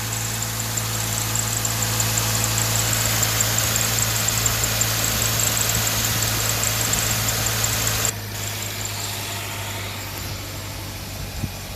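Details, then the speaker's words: Idling engine with faint, rapid bird-like chirping about three a second above the hum from a dry, aged belt; a crack is visible in the belt, and replacement is advised. "Hey folks, got a little squeaking noise. Sounds like little birds. It's usually a sign of a bad, dry belt."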